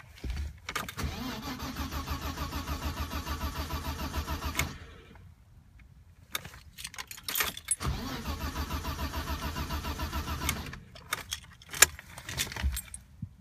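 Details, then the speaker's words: 1988 BMW E30 325is with a crank, no-start issue: two bursts of steady, even starter cranking of about three seconds each, with no firing or catch. The engine turns over but won't start. "It's a crank no start issue, and this is how it goes when I turn the key."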